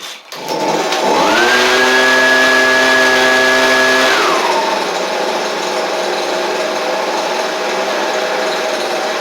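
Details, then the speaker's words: Husqvarna 125B two-stroke leaf blower with a non-starting carburetor replaced by an aftermarket carb kit, started on choke. Climbs to a steady high buzz, then drops to an even idle; runs normally, maybe needing slight adjustment. "Could have, a tiny bit of adjustment that could be done with it, but all in all, that's pretty good out of the box."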